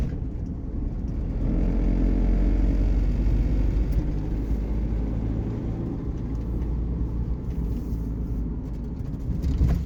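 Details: MAN TGA/TGS/TGL truck that would not crank because neutral (N) was not shown on dash; after bridging gearbox pink wire 6144 to ground, N appears and engine cranks, fires and runs smoothly; normal start.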